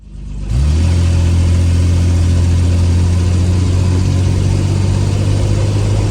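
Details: 1968 Jaguar 420G after engine reinstalled and transmission work, idling around 1500 rpm: engine catches and revs cleanly and evenly with no knocks or rattles; engine healthy, though transmission later loses all gears after a few kilometres, filter blockage suspected.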